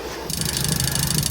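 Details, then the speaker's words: Caravan/camper fresh water pump on very low flow; fast buzzing hum pulsing in quick uneven surges as it cycles; bypass screw needs backing off slightly, fine once pressure increases; pump cycling on low flow. "So, I just had to unscrew it off the floor again. You can hear it cycling."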